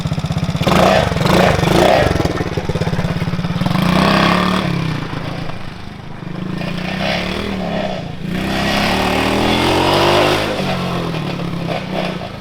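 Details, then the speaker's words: Coleman CT200U mini bike with a swapped 110cc ATV engine on the factory sprocket: small single-cylinder buzz climbs quickly, then flattens at a low ceiling. Strong low end but no top end, runs out of revs; re-gearing considered. "It has absolutely no top end whatsoever. Sounds like it needs to switch gears or something."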